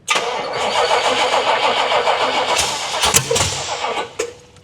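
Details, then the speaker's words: 1979 Pontiac Trans Am V8 cranking after the distributor was turned 180° and the carb bowl refilled: the starter grinds and the engine coughs in ragged bursts, then dies without catching. Plug wires were later found crossed, out of firing order. "I did not check the firing order after all that. So, that could be another thing that's an issue."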